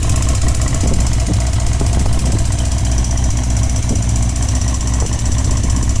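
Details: Honda CBX 550 F inline-four at steady idle: light irregular ticking over the low hum, coming mainly from the right side of the engine (seated on saddle); cause unclear.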